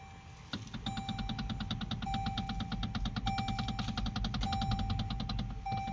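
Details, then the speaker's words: Toyota Alphard AGH30, parked and with the steering wheel shaken, gives quick loose metallic clunks near the steering column, also heard over potholes; a cracked plastic gear in the power steering motor. "เดี๋ยวมาดูอาการToyotaเอาผาดคันนี้กันนะครับคันเนี้ยอาการที่มาเอ่อเวลาตกหลุมแล้วมีเสียงดังหรือเสียงเอ่อเหล็กกระทบกันนะครับ"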